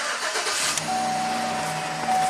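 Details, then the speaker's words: 2011 Chevrolet Silverado 5.3 V8 with intermittent stall and no-start (P025A fuel pump control module enable circuit), after wiring repair and codes cleared: quick catch then steady even idle with faint electronic whine; starts and runs normally. "Excellent. That's a happy Chevy."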